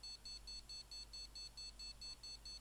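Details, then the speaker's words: Gigabyte GA-Z77X-D3H motherboard, damaged socket pins, probing VRAM (~1.5 V found): thin rapid beeps about four a second over faint hum; stops, reboots, beeps again, cycling POST without booting. "oh and it stops bleeping after all um oh it reboots bleeping again"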